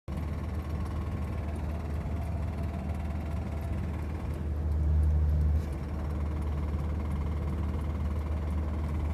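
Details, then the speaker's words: Honda D16Y7 engine in an EJ6 Civic with a spun rod bearing, driving the last miles home despite having oil: steady low drone under road noise with a rough repeating knock about four per second. "that bearing's bye-bye now. It's just rock."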